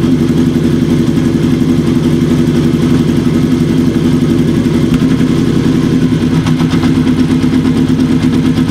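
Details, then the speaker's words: Kawasaki KZ750 four-cylinder after a vacuum leak fix with new intake boots, mixture being set on cylinders three and four before carb sync: uneven idle pulse that steadies and smooths as it is tuned. Idle is improving. "already we can hear a change a nice change starting to happen already and that's even before we do a sink so hopefully you guys can hear that too"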